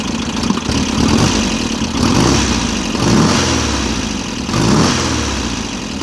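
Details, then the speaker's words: VW Type-3 Fastback air-cooled flat-four, just reinstalled after tightening loose cylinder heads, revving up and down in waves. A light ticking rides over it; the owner's own valve job left the valves maladjusted. "I do know that the valves are maladjusted, and I don't know why, but for some reason, every time I do a valve job on my own cars, only my own cars, I fuck them up the first time."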